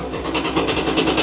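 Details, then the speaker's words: 1965 Suzuki K10 two-stroke, revived after sitting 15 years, just started on two kicks with the choke, which sounded rich, then choke off: crisp, even crackle idling a touch high and not yet settled. "it's coming down to an idle hopefully that idle will settle down in a minute seems to be just still a little bit"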